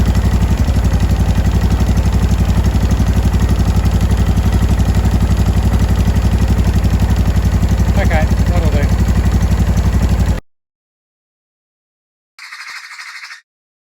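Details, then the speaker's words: 2005 Honda Deauville NT650V twin after carburettor refit (vacuum pistons repositioned), warmed about three to four minutes, choke off, idle set low: a steady low thump with no popping or banging. Normal warm idle. "that took about three minutes to warm up i don't know what was in it but whatever it was cleared there's no popping and banging no exhaust type noise"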